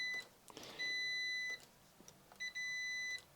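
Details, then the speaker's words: 1987 Renault 25 V6 Turbo throttle position switch, tested for high idle fault: two steady high multimeter beeps about three-quarters of a second each; continuity at closed throttle, switch now closing properly. "But now at least we get a continuity when it's off. So I'm going to install it to the car again and put it in the exact same position as before using my marks and see if it makes that sound."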